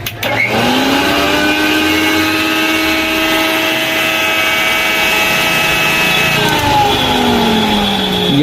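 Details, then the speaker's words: Mixer grinder motor run empty without the jar: spins up to a steady, even whine, holds smoothly, then winds down; the motor is healthy and the noise fault lies in the jar, whose bush is likely broken. "Mixer चलाने पर बिल्कुल बहुत अच्छा चल रहा है तो mixer में तो कोई दिक्कत नहीं है इस गिलास में दिक्कत है"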